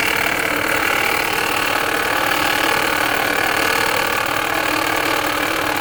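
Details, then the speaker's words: 2020 Ford Escape 1.5 at idle with the AC on: a constant whirring hum rides over the engine with no knocking, traced by ear to the alternator rather than the water pump or AC; alternator to be replaced. "I don't hear nothing out of that water pump. I don't hear anything out of this AC unit. But I sure hear it out of that alternator."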